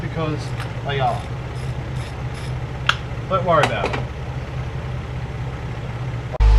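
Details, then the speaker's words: Toyota AE101 Levin four-cylinder, a few hours after reassembly following timing belt, crank and cam work: low, even idle holding steady under voices and clatter in the room, though the owner thinks it needs more oil; normal idle. "and it's running pretty happy with that sounds like it needs more oil though but other than that running"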